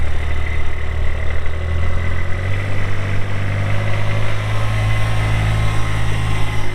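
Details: 2023 Kubota RTV-X1100C diesel utility vehicle, 1,499 hours, 3,330 miles; deep, even diesel idle with a steady low drone and no knocks or misses; engine runs smoothly.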